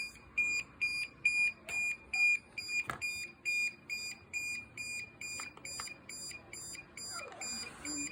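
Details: DJI Mavic Air 2 drone: sharp high-pitched warning beeps repeating about twice a second, evenly spaced and continuing steadily in a quiet room.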